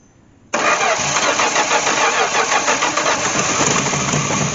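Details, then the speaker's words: 1967 Dodge Dart 225 slant six that sat outside over ten years, first start with coil clipped to a battery and gasoline poured in: catches abruptly, busy slightly uneven run; normal start after long storage. "no way hey what did I tell you about the trusty slant 6 e now this thing's been in my yard for at least five or six years"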